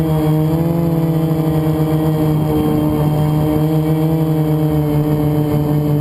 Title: Easter Sunday FPV #1 and what flying with a bad bearing is like. No fail sorry,